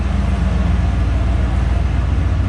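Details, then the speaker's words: 1988 Ford F150 after fuel pump replacement: deep, steady idle rumble with an even beat and no knocks or misses, smelling of gasoline but not smoking, with good oil pressure; healthy idle. "It smells like gasoline, but it's not smoking. Sounds good. Runs good. It's got good oil pressure."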